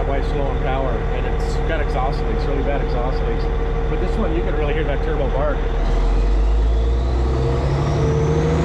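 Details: Cat 657E scraper, Caterpillar C18 diesel after rebuild from oil loss via failed air compressor, no leaks: settles to steady even low rumble then picks up cleanly with sharp turbo rush and bark; normal running.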